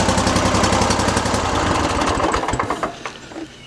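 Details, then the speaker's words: Hustler zero-turn mower that only clicked, started via added starter switch wired from battery positive to starter solenoid bypassing harness: catches right away, steady, even beat before winding down; normal start, fault a suspected wiring connection problem, not relay or starter. "he starts amazing so that's how you fix a mower that would only click and that it's not your relay or your starter"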